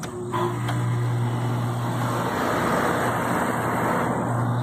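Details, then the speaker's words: Old Coleman heat pump package unit with a no-cooling complaint, running during a contactor push test: a steady low hum with smooth fan rush; 27V between R and common but nothing on Y1, so a bad thermostat is suspected; unit itself runs normally. "everything works she's not getting our signal on the thermostats let's go check that out"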